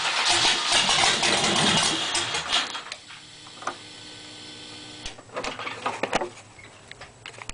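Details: LT1 350 engine with a vacuum leak after the MAF sensor: cranks and catches, then stumbles and dies after a few seconds, repeatedly, from unmetered air; ran strong once the leak was plugged.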